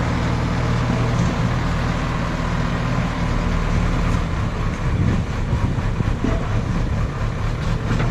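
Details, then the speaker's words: JCB backhoe loader diesel test-digging after the fuel line was bled, to check it no longer cuts out. A steady low drone with load surges as the bucket digs, no stumbling or cut-outs. The engine runs clean under work. "അതെ, അപ്പോൾ നമ്മുടെ വണ്ടി വേറെ കുഴപ്പമൊന്നുമില്ല, of ആവലും കാര്യങ്ങളൊന്നും ഇല്ല."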